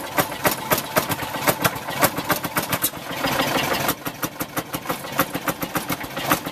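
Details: 1948 Fairmont M19-F rail speeder just cranked and started with choke and ignition on: sharp single-cylinder bangs about three to four a second, a bit uneven while cold, flywheel turning; healthy running as it warms up.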